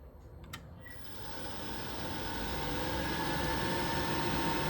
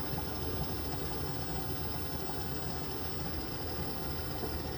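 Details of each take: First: Worcester Greenstar Ri boiler after turning the gas valve anticlockwise to adjust the air/gas ratio: a click, then the fan spins to a steady whir with no whoosh of ignition. Burner not lighting; needs further adjustment. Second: Worcester Greenstar Ri boiler after air/gas ratio adjustment (minimum 2 3/4 turns, maximum 8 3/4 turns), burner now staying lit: steady even roar with low rumble, no popping or surging; normal burner operation.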